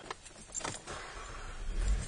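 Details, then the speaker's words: Car after replacing a camshaft position sensor that gave no square-wave signal: brief key rattle, engine cranks and catches almost at once into a steady low idle; new sensor fixed the no-start, normal start. "all right we can hear the car starts immediately right up and check it out we have our Square wave indicating that the new sensor has fixed the problem"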